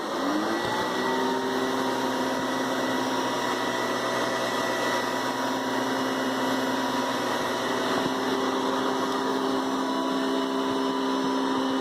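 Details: Hoover Decade 800 Navy Blue Edition upright vacuum switched on after the 4.3 amp Convertible Elite: motor spins up within a second to a steady, even whine without wavering or rattling; normal healthy running.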